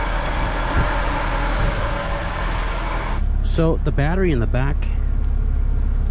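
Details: K-swapped supercharged K20 Civic wagon with K24 crank pulley, warm at 188°F, IAT 123, idling about 1,000 rpm; shrill steady whistle then warbling rising-and-falling squeals, accessory belt slipping on its pulleys, later fixed itself.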